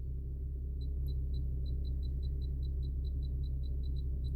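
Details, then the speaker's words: 2015 Infiniti Q50 AWD, Bose Nav, after DCU SD card fix with 2016+ software. Quick, even high chirps over low hum, only when the 360 camera view is displayed. "So, I got these the 360, but yeah, it just makes that little chirping noise. Doesn't do it any other time."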